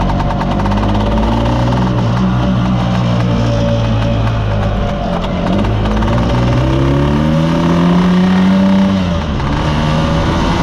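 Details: Mostly original Spanish Lambretta Jet 200 two-stroke scooter on test drive: climbs slowly and flattens out, burbling and refusing to rev cleanly, with mid-range splutter; main jet too big, running rich.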